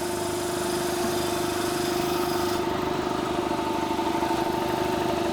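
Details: 200 L, 3 hp single-phase air compressor running during a service, cover off, with the old belt slopping badly; it previously slowed down halfway through buildup. Steady, even pump drone with no slap, squeal or knock.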